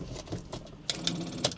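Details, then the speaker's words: Rover 25, broken down by the roadside: a few sharp quick clicks on each key turn, no cranking, engine won't turn over. "It won't start. All we're getting here is a uh clicking noise."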